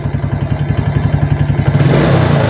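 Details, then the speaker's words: Suzuki Titan/Smash that died or stuttered on throttle with a drained battery, running on a new battery: crisp, evenly spaced firing that revs cleanly to high rpm with no stumble; normal throttle response, regulator/rectifier suspected if stuttering returns without battery. "ya jadi enggak ada suara deg deg deg deg deg jadi kayak telah minyak ya kayak motor itu enggak mau jalan sama sekali ya"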